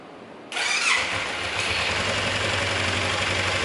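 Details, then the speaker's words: Motorcycle engine after repair work, bearing knocking gone: catches and settles to fast idle with busy metallic clatter remaining, not from the bearings; consistent with a worn balancer gear pair. "Jadi seperti yang teman-teman dengar tadi, setelah ngerjain beberapa lama untuk motornya, ternyata masih ada bunyi berisik dan itu bukan dari metal."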